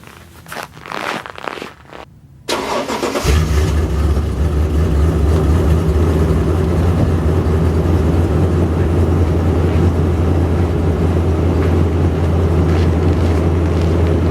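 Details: Toyota Tundra cold start at nine degrees outside: short crank, catches into loud, slightly lumpy rough idle, smoking heavily before smoothing; owner suspects the PCV valve and is replacing it.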